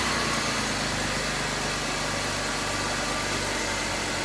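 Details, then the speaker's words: BMW X3 E83 idling after oil leak repair, mild high-40s day; steady even hum, no ticking, knocking or misses, runs good, sounds good. Normal idle. "Should have no more oil leaks now. Runs good, sounds good. Everything's hooked up."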